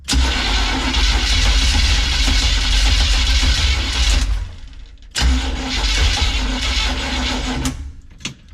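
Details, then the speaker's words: Untested Craigslist Chevy small-block 350 freshly installed in Chevy van, distributor not yet timed: two long cranking bursts with uneven sputtering that never catches; suspected no fuel getting through plus timing issue. "definitely seems like we don't have any fuel at least none getting here Plus sounds like a timing issue as well which makes sense because we haven't timed it"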